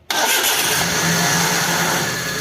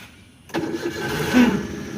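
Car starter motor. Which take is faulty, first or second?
second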